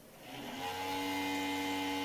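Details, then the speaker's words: PC power supply fan: harsh steady droning whine swelling up and holding, as dust slows the fan and wears its sleeve bushing. "quiero aclararles que ese ruido procede de la fuente de alimentación es la encargada de suministrar corriente a nuestra computadora"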